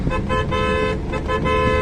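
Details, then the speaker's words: Maruti Alto 800 with a newly fitted extra air horn and wiring kit, tested after installation, louder heard from outside than inside with windows up: several short, loud, clear horn blasts with a bright steady tone; horn working normally. "ഇത് ഇടുകയാണെങ്കിൽ നമ്മളിപ്പം പിടിപ്പിച്ച horn. വാവ്, നല്ല സൗണ്ടും കാര്യമൊക്കെ ഉണ്ടല്ലോ."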